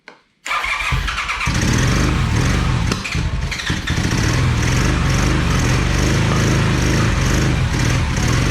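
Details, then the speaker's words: 1982 Honda CM450 twin, unused about seven years, fuel in carbs: starter churns it over steadily and quickly but it never catches; no start from super-clogged carburetor jets and gunk built up in the float bowls. "all right guys so the jets were super clogged in the carbs and there was like gunk built up in each of the bowls"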